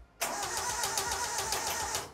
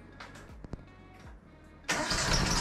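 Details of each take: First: 1968 Datsun 2000 Roadster, untouched about three weeks after purchase, big temporary battery, ignition checked: even cranking about seven compression beats a second at strong steady speed, not catching; starter and compression sound healthy, normal crank with no start. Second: 1968 Datsun 2000 Roadster, first start attempts: cranks, catches in a rough uneven sputter for seconds with a little gas, then dies; firing order/ignition timing 180 degrees out, distributor can install two ways.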